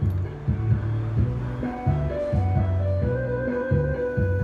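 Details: Old transistor amplifier after repair, previously giving no speaker output: guitar music plays cleanly at full level with no hum, crackle or distortion, so the amplifier now works normally.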